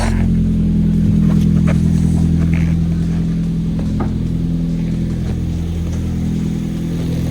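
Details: 2.0 turbo Hyundai Genesis Coupe first start after engine replacement, before alternator, compressor and belt were fitted: steady even idle with a smooth low hum, no knocks or misses; a vacuum leak was noted.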